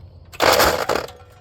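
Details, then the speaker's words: Rear-engine Snapper mower with replacement Briggs & Stratton carburetor, stored over 10 years, cranking: short harsh metallic clatter about half a second long as a metal bracket under the cowl, out of position, hits the flywheel. "there's a metal bracket back there that if you don't have it exactly in the right spot under this cow over here it'll hit the flywheel"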